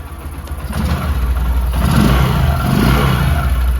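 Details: Bajaj Discover 100 BS3 motorcycle after timing chain replacement, electric start: starts and climbs cleanly into a firm rev, pulling smoothly with no rattle or knock; normal start and rev.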